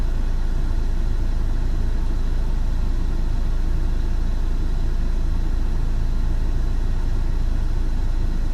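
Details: Peugeot 607 2.2 HDi diesel at idle, Bosch injectors 0445110036: a deep, heavy idle with an uneven low knock about three times a second, caused by faulty injectors.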